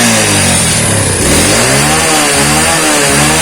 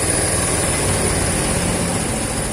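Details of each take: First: Yamaha Vega/Crypton motorcycle after fitting a DC Shogun 110 CDI with trimmed pickup lobe and re-gapped spark plug: revs rise and fall cleanly, then settle into even steady idle, no misses or knocks; lighter revving, idle set high, healthy running. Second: Yamaha Vega/Crypton after swapping its AC CDI for a Shogun 110 DC CDI: fast, even buzzing idle holding steady and revving lighter, idle set too high and needing turning down.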